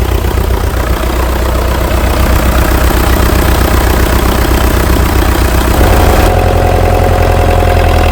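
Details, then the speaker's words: International TD-6 crawler, revived after 11 years sitting rusted stuck, just switched from gas start to diesel after the #4 cylinder misfire fix. Steady, deep thumping idle that firms up and evens out, no miss or knock: healthy diesel. "We're going to start this on diesel. From gas to diesel."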